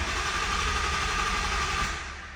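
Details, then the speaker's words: 2020 Mustang GT with ESS G3X supercharger, during a compression test with a spark plug out and a gauge threaded in, gas pedal floored: even starter whine and steady cranking for about two seconds, no clunks. Healthy crank; the cylinder read 220 psi. "But floor, gas pedal all the way down, a little bit of brake. I'm just gonna crank it just a little bit here."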